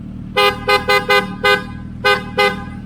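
Seven sharp, clear horn toots in uneven bursts, each steady in pitch and full strength, so the horn is working properly.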